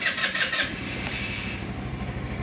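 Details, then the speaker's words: Scooter with a good battery that cranked but wouldn't start, possibly after sitting abandoned a while: about half a second of choppy starter cranking, then it catches and runs evenly. The fault was the two brake-lever micro switch sensors, to be replaced. "vamos a ver si da marcha la motocicleta en efecto la motocicleta da marcha el hecho de que no arranque pues es otra cosa"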